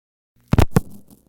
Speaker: The big "kachunk" sound itself is the district sequence switch moving into position eleven, and physically connecting our circuit to the incoming frame.